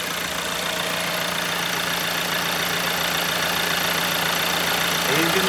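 Steady, even diesel idle with a constant hum and no knocks or misses; the engine is running smoothly and healthy.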